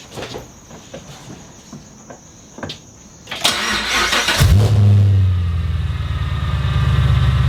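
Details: Supercharged car after Magnuson supercharger install and MAP sensor swap: after a few clicks catches cleanly and settles into a strong, steady, even idle with no misses; healthy running.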